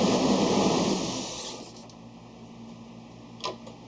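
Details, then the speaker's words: Ford Explorer, engine running while depressurizing fuel system for fuel filter replacement: engine noise fades over about a second and a half to a faint hum as it stalls after a fuel pump relay is pulled; fuel starvation stall. "This one right here in front is the one I pulled. Whether or not that's the right one, you'll have to figure out for yourself, but it did shut down."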